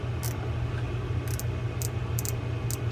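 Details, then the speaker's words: Shimano Tekota 500 line counter reel during service, star drag adjuster reassembled: crisp light clicks, about six in three seconds, over a low hum as the star is turned; drag clicker working properly. "that rocket will land, and that's what will make the little click, click, click noise as you adjust."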